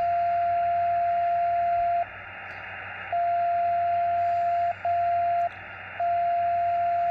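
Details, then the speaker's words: Xiegu X6100 SDR ham radio with no antenna connected: steady mid-pitched whistle switching on and off in an uneven repeating pattern, like someone tuning up; suspected internal spurious tone, source not confirmed. "so I that sounds like somebody tuning up and I don't even have any antenna hooked up let's wait a while and see what this is It's really strange"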